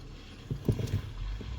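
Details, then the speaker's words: New Bendix Ultimate 4WD brake booster (U4WD-BBLC80), engine off: a few dull, low clunks as the pedal is pressed slowly, after which the pedal drops and gets easier. There is no clunk with the engine running, but the pedal still travels too far. "listen to this and then it goes down it goes clunk and then goes down"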